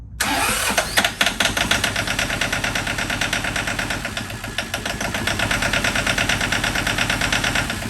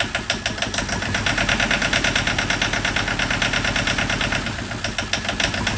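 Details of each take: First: John Deere 650 4x4 tractor diesel, first start after budget engine rebuild: steady starter cranking about three beats a second with no catch, air still being purged from fuel lines. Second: John Deere 650 4x4 tractor two-cylinder diesel, first start after budget rebuild of a blown engine, air bled from fuel line: loud lumpy beat about three pulses a second, steady at idle, no knocks or misses; normal idle.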